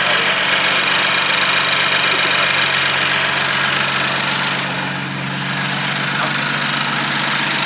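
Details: BMW F80 M3 just fitted with a single turbo kit and engine reassembled, first start before test drive: steady, even idle with smooth low drone and airy hiss, no knocks or misses; healthy.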